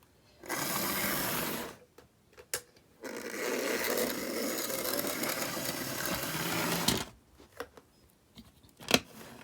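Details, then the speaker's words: Mantua 4-6-0 model steam locomotive after repair: small motor whirs smoothly at steady pitch between short stops, no grinding or rattling; runs much quieter. "It runs much quieter now."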